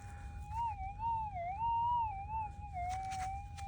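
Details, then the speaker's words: Minelab GPX 6000 metal detector with GPZ 14 coil, low sensitivity, normal ground mode: wavering tone rises and dips as the coil sweeps; hot rock false signal, a weakness of normal mode. "Actually, what I'll do is turn it on to difficult. Yeah, hot rock. That's a disadvantage of running in normal."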